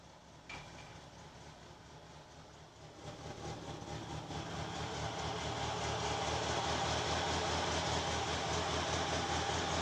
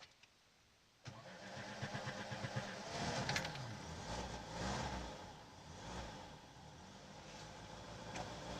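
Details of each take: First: VAZ-2106 Lada on petrol, started in garage, heard through open window: faint, lumpy idle with irregular stumbles, misfire, hard starting; float chamber needle valve ball suspected of not springing freely. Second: Lada VAZ-2106 carburettor on petrol after float needle repair and slightly lowered fuel level, air filter housing off: starter turns briefly, engine catches and settles into a steady idle that now responds to the choke.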